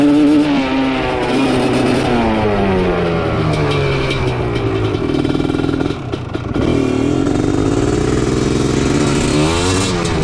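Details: Honda TRX310 big-bore two-stroke quad with a 250R engine, running with no airbox or air filter. Revs climb and fall with a ragged, stumbling crackle as it breaks up at three-quarter throttle. An airbox may help, otherwise it needs rejetting.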